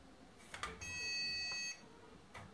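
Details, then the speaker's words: Automatic infrared soap dispenser (4 AAA batteries) gives a single steady beep of about one second with no pump sound, failing to dispense. Suspected weak, used batteries; it later dispenses. "Ну, видимо, да, батарейки слабоваты."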